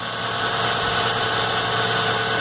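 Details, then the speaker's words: 1997 Ford Mustang 3.8 V6, just after replacing a worn serpentine belt that chirped: smooth, even idle with a steady hum and no squeak or chirp from the belt drive; normal idle. "in this case we're really good in the morning that's right no more cheep-cheep-cheep alright so there we go we got it fixed"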